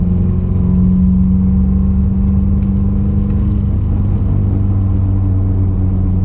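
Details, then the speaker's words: 2020 Subaru WRX turbo four, third-gear wide-open-throttle pull awaiting a re-tune: a heavy drone with an uneven, rough edge. Misfire on cylinders 1 and 4, no check-engine light or codes; new coil packs and NGK plugs ordered, cause unconfirmed. "Something's not right. Yeah, something's not right. I'm gonna have to jack up the car. I don't like this sound. I threw a 1 on cylinder 1 again."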